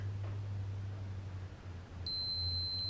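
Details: Fluke meter on continuity checking fuses on a 2006 Can-Am Outlander Max 500 with battery trouble and no ECM communication: steady high beep comes on partway over a low hum; continuity, fuse good.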